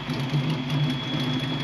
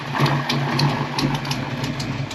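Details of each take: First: Ford Fox-body Mustang V8 idling after MAF and computer swaps: lumpy idle with sharp puffing tick on exhaust pulses, an exhaust leak still present. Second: Cammed V8 Fox-body Mustang running an older computer, steady loping idle with a deep, even exhaust burble and a slight exhaust leak; idles well, idle could go slightly higher.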